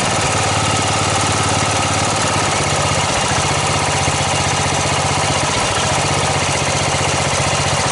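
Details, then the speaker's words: Snapper 38-inch scrap riding mower idling; steady, even small-engine chug, no knocks or misses; sediment bowl gasket suspected of dripping, owner says it sounded pretty good. Normal idle. "i'll pull that sediment bowl back off and check that gasket and we'll go from there but it sounded pretty good"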